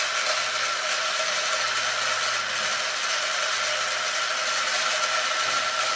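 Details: Arrma Limitless GT with Castle 1721 2400kv motor on a Perfect Pass motor mount, spinning free on one battery instead of 8S during mesh setting. Smooth, steady high whine of even pitch, no grinding or clicking. Pinion mesh sounds about right.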